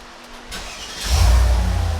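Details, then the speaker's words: Mercedes SL55 AMG R230, hot restart after new starter install: brief crank, V8 catches at once into a deep steady rumble; old starter was failing, night-and-day difference. "wow night and eff and day difference perfect so yeah that starter was definitely taking a poop that's all we really changed so super happy about that"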